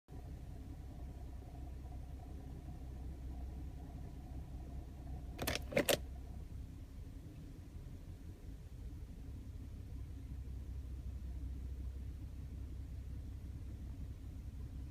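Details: Passat CC 3.6, 120,000 km, cold engine idling in P/N after dealer DSG oil change: steady low idle broken twice by a short, sharp metallic rattle from the gearbox area; cause unconfirmed.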